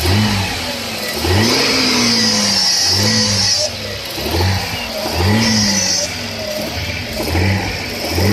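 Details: 1996 Audi A6 with a recently appeared noise when accelerating or revving: a rising whirring note climbs with each rev and falls back at idle. Source unknown.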